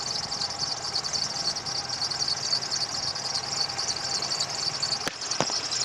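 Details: Daewoo Lanos at idle, before belt conditioner is applied: steady, thin, unwavering squeal over a quiet idle from the slipping alternator belt.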